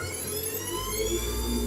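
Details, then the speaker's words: FD-SLI600DC sliding gate motor running normally after turning the force knob to maximum: steady low hum with faint whine, no stopping and no warning beeps. "El motor ya no se queda ni emite esos pitidos que me indican que tiene algún problema, ¿no?"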